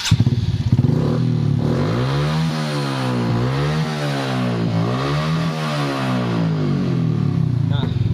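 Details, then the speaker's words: Honda Supra X 125 single-cylinder after cam timing corrected (timing was retarded, top slipped, causing misfire and no power): revs up and down smoothly with even beat, valve tapping gone; engine now runs healthy. "Nah itu juga suara di bagian klep juga langsung hilang Nah langsung halus ya suaranya"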